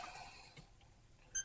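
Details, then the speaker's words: Xbox 360 Slim that won't power on, tested with a new face plate: a short run of bright chime notes, then nothing else happens; the console chimes but never boots, so the face plate wasn't the fault. "it makes the noise but it won't do anything so even after putting a new face plate in that didn't fix it"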